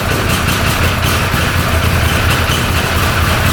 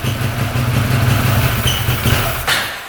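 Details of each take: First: 2013 Arctic Cat Wildcat 1000cc twin UTV after replacing missing intake O-ring that caused an air leak: even, steady low idle, returns cleanly to idle, running on both cylinders; fixed. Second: 2013 Arctic Cat Wildcat 1000cc twin UTV: lumpy low idle sags and nearly dies while the intake joint is sprayed, then recovers; air leak at the intake.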